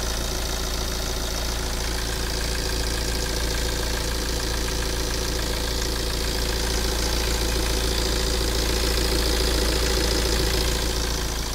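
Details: Healthy 9-year-old Tata Safari Dicor 2.2 diesel idling with a steady even clatter: no back compression, hunting, misfire or knock.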